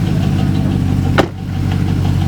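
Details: Chevrolet Trailblazer SS V8 at idle, steady low rhythmic knock tied to engine speed under the rumble; thrown rod, spun rod bearing.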